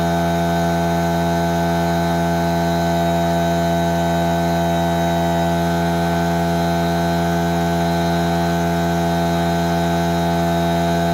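Steady even drone with a firm low hum and fixed tones, no knocking or surging; shop compressor running normally under load.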